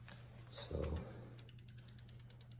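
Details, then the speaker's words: 2001 Specialized RockHopper, rear wheel refitted with the quick release: even freewheel ticking as the wheel spins with no scraping or dragging; the brake runs clear. "it does seem to be working. Okay. Not hearing any dragging."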